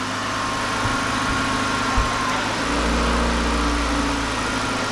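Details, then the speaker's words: 1993 Ford Escort LX 1.9 liter after clutch, pressure plate, flywheel, slave and master cylinder and rear main seal replacement with battery disconnected: smooth but fast high idle with a slight tone shift; ECU relearning, idle should come down. "This computer has been unhooked. It's got to relearn itself. It'll come down."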